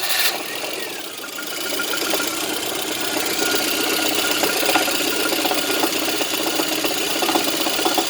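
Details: VAZ 2110 engine running with loud, steady knocking at about two to three per second; cause undetermined, water pump possibly suspected.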